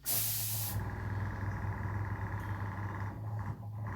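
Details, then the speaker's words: Aging airbrush compressor: a short spray hiss, then the motor keeps humming at a steady low pitch long after, not winding down as it should; the compressor is slow to stop. "it keeps going keeps going takes a while for it to stop so it doesn't usually well it's not supposed to do that"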